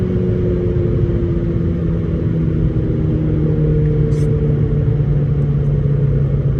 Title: VW Golf 5 gti cylinder misfire